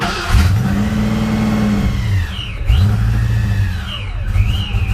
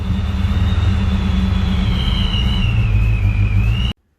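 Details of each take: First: Supercharged Fox-body Ford Mustang on its first start after work, idle air control unplugged but connected: engine barely holds idle, surging and sagging and popping out the intake. Owner suspected vacuum or idle air control. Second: Supercharged Fox-body Ford Mustang after torquing down the loose upper intake that caused the vacuum leak: vacuum restored, a steady, rock-stable idle rumble with a thin high whistle, no hunting or surging; the engine runs great.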